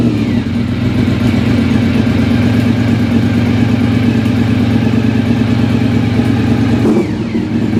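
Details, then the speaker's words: Engine started after standing for years. The owner hears a ticking of unknown source, and the choke was just turned off. It runs with an even, steady multi-cylinder beat and no knocks or misses. The clutch has no pressure and probably needs bleeding. "So there we go. It runs. It all seems to be fine."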